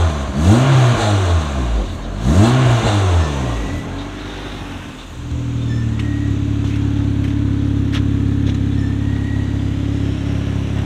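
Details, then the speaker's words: 9th-gen Honda Civic Si with a freshly built K24, first start after an oil change while on jack stands. Two clean revs, then a steady, even idle with no knocks or ticks. Oil and fuel pressure are good; the engine sounds healthy. "well it sounds good going to check the oil pressure real quick oil pressure looking nice fuel pressure isn't too bad as well"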